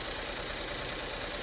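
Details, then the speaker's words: 2011 Ford S-Max 1.6 EcoBoost after repair of fuel leaking between turbo and exhaust manifold and severe misfire: even, steady idle with smooth pulse and bright injector tick, running cleanly, no leaks. "Crank. Sounds like an EcoBoost sewing machine. No leaks."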